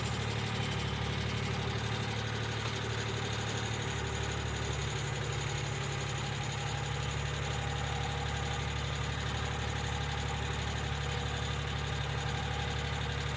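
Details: 1995 Geo Metro idling evenly: light, rapid ticking, about four a second, sounding like lifter tick. B-12 fuel injection cleaner is added to the engine oil before an oil change.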